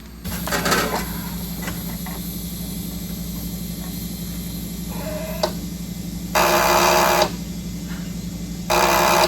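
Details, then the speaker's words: Briggs and Stratton engine after engine swap and carburetor cleaning: steady electrical buzz with no cranking; not the battery, found to be the starter solenoid chattering instead of engaging. "So it is not the battery. We figured out it is the solenoid."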